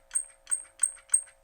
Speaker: You can see, listen to the difference. This one needs to be oiled.